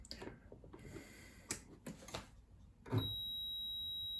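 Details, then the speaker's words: Singer sewing machine turned on with needle bar deliberately blocked: light clicks, one short strained motor burst stopping dead into a steady high tone; needle bar jammed, E4 error, even though the bar seems to move just fine. "I blocked the needle bar and turned it on. It tried to move. You heard the sound, and then it went into error"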